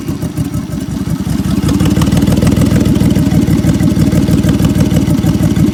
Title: 2003 Honda V6 3.5l, misfire on bank 1, P0301, P0302, P0303 and P1399